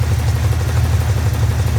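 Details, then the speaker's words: Car at idle, recorded under the car: low, rapid, even thumping sounding like rod knock, actually a loose plastic flywheel cover rubbing the flywheel; fix is refitting the cover with proper screws. "so it is a flywheel cover noise and nobody talks about that so you might want to try that first before you get a mechanic take"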